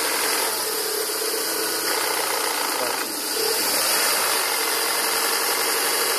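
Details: 2000 Volvo V40/S40 1.8, 122 hp, at idle: a dry, raspy hiss rides constantly over a steady idle. The source of the rasping is not yet identified.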